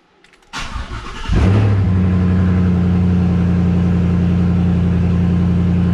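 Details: 2003 Ford F-150 with Coyote V8 swap and 2015 ignition switch wired into the 2003 harness, after fixing two reversed pins at the firewall bulkhead: short crank, fires within a second into a steady even V8 idle; normal start.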